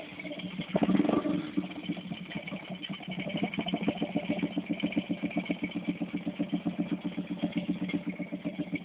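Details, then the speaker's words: Motorcycle idling steadily with a light, fast tick about four per second on the firing beat, heard after repair work; described as a small normal tick, not an engine fault. "pumipitik na yan. Thumbs po yan. Maliit lang thumbs na yan."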